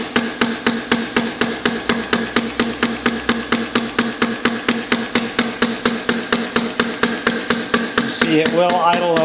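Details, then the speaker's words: Compressed-air inverted hit-and-miss model engine (1 in stroke, 1.5 in bore, quick-release air-gun valve, straight 4-stroke mode, no governor yet) slowed to a low idle from about 100 lb air; crisp, even puffs about two per second; normal low-speed running. "you see it will idle pretty slow it might even idle slower than [Music] that"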